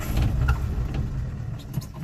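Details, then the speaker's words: Old Nash four-stroke with 6-volt system, after fuel pump sediment bowl repair with a fence post cap: slow labouring crank that never fires; carburetor out of fuel, needs priming. "Uh-oh. She is out of gas. I don't think this is going to work. I may have to prime the carburetor."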